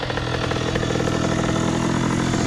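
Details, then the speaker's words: 2001 Honda CR80 two-stroke, previously suspected of a knocking noise: crisp, even idle with a steady crackling exhaust and no knock riding over it. It is idling nicely and the earlier noise seems largely gone. "definitely got some thought to it because she idling real nice though y'all real nice"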